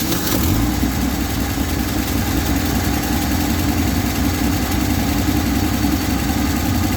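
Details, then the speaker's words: 1967 GMC panel truck straight six: an even, smooth idle on choke with steady firing and no misses or knocks. Normal idle. "Not gonna lie, that took a little more work than I thought it was going to. The breather and tools falling off because she runs so smooth."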